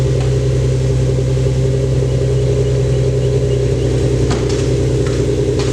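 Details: Lexus SC300 after replacing a fuel injector with a broken, leaking seal, with timing checked at 10. It earlier seemed to misfire, which the owner suspected was the spark plugs. Steady, even engine hum with no skipped beats; sounds healthy.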